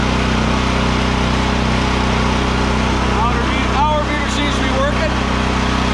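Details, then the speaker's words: ETQ TG72K12 portable generator, about 14-15 years old, 13 hours, unrun 10+ years, just started on choke: steady, even drone, constant pitch, no misses or surging; auto throttle works; normal running. "model model oh look at that even the auto throttle works wow I really didn't think that was going to start"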